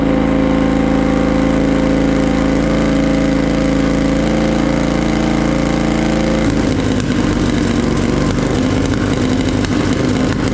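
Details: Polaris Sportsman 850 XP quad, hard-worked bull catcher sat for a couple of years, parked up for pumping oil at the engine breather; first start on jump pack: uneven stumbling idle turning ragged and irregular, shooting flames and misfiring; owner suspects old fuel.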